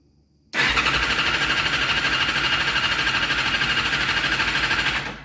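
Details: Yamaha FZ6 with crank position sensor signal under check: starter cranks steadily at about three beats a second for 4.5 seconds but never catches. Engine turns over without firing; cause suspected, not confirmed.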